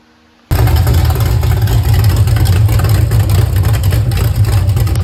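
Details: Refreshed 350 V8 pulled from a Pure Stock race car to fix issues: after a quiet start it catches and holds a deep, even rumble with light throttle blips; runs healthy.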